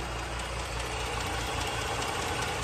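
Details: 1960 Rambler Super six with rebuilt engine, new radiator, hoses, water pump and clutch: steady, even idle with smooth unbroken note, no knocks, misses or surging; running healthy.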